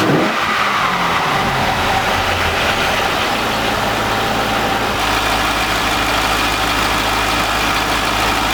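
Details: C5 Corvette V8, first start after 4+ months replacing the harmonic balancer and entire front subframe: loud, even rumble with no misses, knocks or ticks, then steps up to a higher steady speed; healthy idle and revving.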